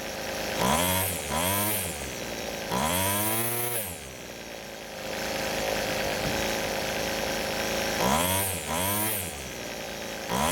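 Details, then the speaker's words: Rebuilt string trimmer warm, quick throttle blips climbing cleanly to a high scream and dropping back to steady idle without bogging; engine running well after rebuild, before cold-start check. "so the engine is running really well but the only thing left now is to let the engine cool down and do a cold start"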